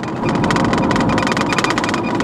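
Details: 2000 Chevy Blazer after repair of a P0300 misfire, road test while driving; engine pulls steadily under road noise with no popping or misfire beat; engine running normally.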